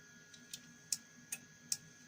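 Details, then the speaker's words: Car alarm system on the bench during repair, powered on before the antenna/receiver is connected: crisp, evenly spaced clicks at about two and a half per second; relay switching properly, system later confirmed working. "Okay, I turn it on and I can hear some clicking, but before we proceed, I need to connect the antenna, the receiver."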